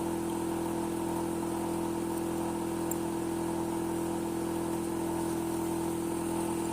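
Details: Hitachi air conditioner outdoor unit making a constant droning hum with one steady mid-pitched tone, unchanged over the run; loud humming noise, cause unclear.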